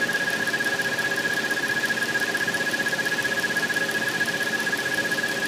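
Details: 2013 Dodge Challenger SXT at idle; a steady high whistle pulsing about twice a second. The dealership traced it to a loose water pump seal, and the noise stopped after the pump was replaced.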